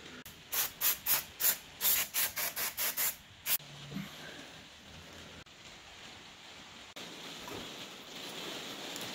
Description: The front brake on my Ragley Big Wig is just producing noise and not actually providing any braking, so lets bodge some more life out of these rotors and pads!